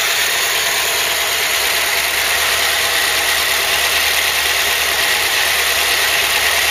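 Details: Ford Cortina Mk3 with newly rebuilt 2.0 Pinto engine, auto choke working, warmed up with temperature holding mid-gauge: even steady idle with smooth airy hiss, no misses or knocks; normal warm idle.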